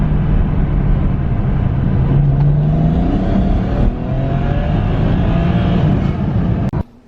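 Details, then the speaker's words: BMW E90 335i N54 on MHD Stage 2+ tune in sport mode after its hesitation fix: blow-offs at about 20% throttle, then in second gear from about 2,500 rpm the note climbs smoothly under load; normal acceleration, no hesitation. "Just going to give it a little bit of throttle. You can just hear the blow-offs. That was just literally 20% throttle."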